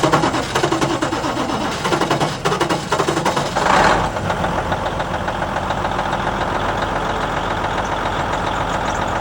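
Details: Versatile 2360 tractor with Cummins N14, after replacing the failed number 5 injector and setting injector and valve lash: diesel catches after a brief rough start, settles into an even steady idle with no knock or miss; normal idle.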